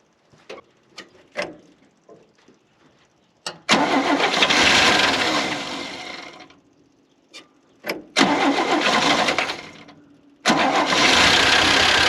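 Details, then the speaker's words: 1971 International Harvester 1110 pickup, original AMC 232 inline six, 4-speed, first start after carb rebuild and tune-up, timing not yet set: cranking bursts, catches, rough loud idle that fades and restarts; alternator bearings seem fine, running normally. "i think the alternator bearings are very happy he's running pretty good"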